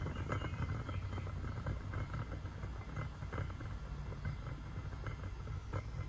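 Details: Porsche 993 air-cooled engine at idle with a rough, uneven rumbling growl from a worn cooling fan bearing.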